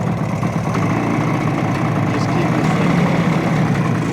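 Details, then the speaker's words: 1970 Suzuki T350 Rebel two-stroke twin, long stored: rough, muffled low burble with irregular beat; no change on left cylinder when choked fully or plug cap pulled, left side barely warm, right hot. "so I don't know if you guys heard that there's no change on the left cylinder if I choke it fully or if I pull the um spark plug uh cap off"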